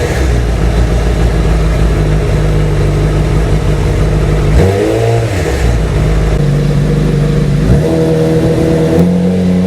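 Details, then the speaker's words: Honda CBR motorcycle after cam chain tensioner replacement: engine revs up and settles cleanly, even exhaust note, earlier right-side engine buzz at 3000 rpm now gone; normal running after repair. "but yep I got that noise to disappear so it was success I didn't blow up the engine"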